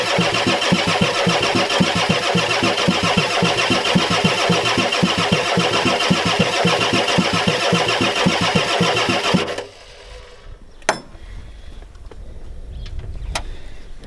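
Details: 1993 Ford F-250 7.3L IDI diesel, battery getting weak, glow plugs or relay suspected bad: about nine seconds of steady, even cranking near two beats a second, never firing; owner suspects fuel pump bad.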